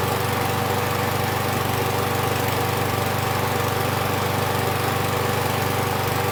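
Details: Husqvarna 6021P Kohler mower engine after the part under the idle adjustment screw was removed and the idle screw adjusted. Steady, even putter with no surging; the owner notes it may also just have warmed up.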